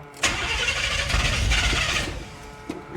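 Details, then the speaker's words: 1977 Chevy Monte Carlo off the road about 30 years: starter cranks, engine catches roughly for about two seconds, then stumbles and dies; owner suspects the fuel filter, not confirmed. "See, the more I try, the more it doesn't want to."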